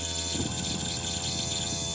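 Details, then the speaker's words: Audi TT mk1 roadster, convertible top pump running after the faulty comfort module was bypassed with relays: an even electric hum and steady whine as the rams raise and lower the top, slightly low on hydraulic oil; normal operation. "Alors je manque un peu d'huile mais vous voyez que ça y est mes vérins montent et descendent ce qui n'était pas le cas tout à l'heure."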